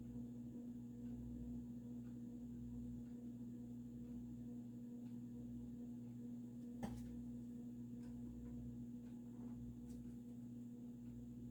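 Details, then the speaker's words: Supreme Mark II 52" spinner ceiling fan, early 1980s, variable speed control at low speed; steady low electrical hum over a quiet whir, getting louder as speed is turned down, possibly a solid-state control; motor hum at low speed. "I think it might be a solid state control, simply because the motor noise gets louder as you turn the speed down."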